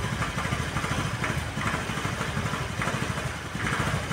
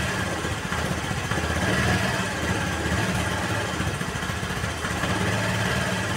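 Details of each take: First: Honda Vario 110 (KVB) carbureted scooter before carburetor service: lumpy idle surging and dipping, nearly stalling; previously high rpm on morning start, heavy pull, stalls when center stand lowered. Unstable rough idle. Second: Honda Vario 110 (KVB) carburetted scooter that had a hunting, unstable idle, after adjusting the left carburetor air screw (reference about 2.5 turns); choke also faulty: small single putters at an even, steady idle without hunting or stumbling, idle now stable.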